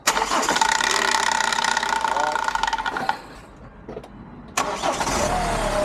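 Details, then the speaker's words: Hyundai iLoad D4CB diesel, reconditioned engine after one year, revved from about 1,000 to 3,000 rpm, slight black smoke: fires and revs smoothly, solid, no rattle or knock; sounds like a normal healthy diesel. "it sounds good sounds like a motor should sounds uh powerful sounds uh solid I can't hear anything rattling too much"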